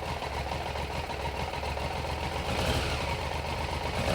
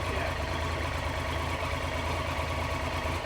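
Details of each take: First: 1993 Triumph Trident 900 triple after sitting 5 years, carbs refitted, choke off, no tank and little fuel. The idle wanders, swelling and dropping over a few seconds: slight misfire, thought to be fuel starvation. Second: 1993 Triumph Trident 900 three-cylinder, first start after sitting five years with carburettors refitted, warming up just off choke: steady even idle with smooth pulse, all three cylinders firing, no missing beats.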